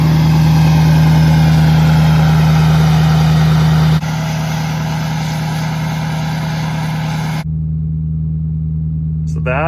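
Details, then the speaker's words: 2013 Ford Powerstroke diesel, 2011-16 high idle mod via factory aux switch with 22k ohm resistor, parked with brake set: steady raised idle near 1200 rpm, about 3 lbs boost, no misses or surging; normal high idle. "resistor actually worked out perfect we're building about 3 lbs of boost there uh really good high idle really happy with how it turned out"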